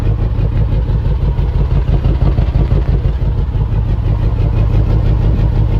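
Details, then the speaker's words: 2014 Range Rover Sport supercharged V8, started misfiring while overtaking: heavy lumpy idle with uneven chuff about three times a second; two cylinders zero compression, suspected stuck or bent valves. "the guy said he was trying to overpass and it just started misfiring did a compression we got two dead cylinders zero compression"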